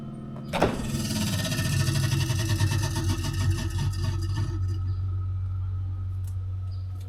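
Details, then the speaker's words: Samsung refrigerator evaporator fan, recurring freeze-up: fast uneven clatter of blade strikes as the fan starts, then dies to a hum; ice buildup hitting the fan. "it's always had an issue with freezing up eventually the ice will overtake the fan and then it won't function properly"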